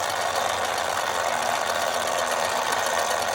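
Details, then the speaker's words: 1960s Remco Tiger Cat toy jeep after gear repair, tested with tension on the tire on low then high: even, steady gear whir with no skipping, clicking or grinding; normal gear drive with good tooth engagement. "Nope, doesn't make any weird noises. Fan's still turning. Sounds great. Let's try high. Sounds good. Doesn't skip."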